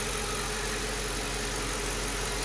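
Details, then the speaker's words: 2006 Mercedes CLS500 (C219) V8 idling rough and slightly uneven; scanner still shows cylinders 6 and 8 misfiring after tightening loose cylinder 1 connector; coil packs then swapped to cylinders 5 and 7 to test. "I checked again the connectors. There was a loose one on cylinder number 1. So I tightened that up and ran the scanner again. This one was clear, but it still showed 6 and 8."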